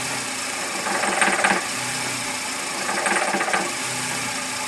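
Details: VW Gol G5 bought new in 2010, noise present since purchase and worsening: engine runs steadily with a harsh, raspy swell roughly every two seconds over the idle; intermittent engine noise, source unclear.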